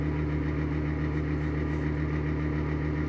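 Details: Worn bearings in an exhaust fan give a rough, droning rumble with a coarse low growl under a steady hum; sounds awful but the fan still works.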